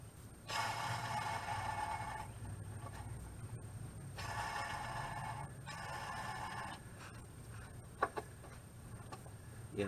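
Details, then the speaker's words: 1978 Toyota pickup clutch release (throwout) bearing, spun by hand with the transmission removed: a rough, ringing whirr in three bursts, each fading as it slows; the bearing is worn and shouldn't make that noise. "it's not supposed to make that noise"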